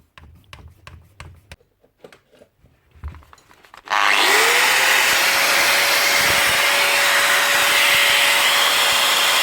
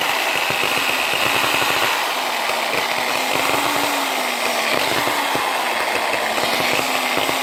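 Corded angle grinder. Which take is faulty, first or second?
second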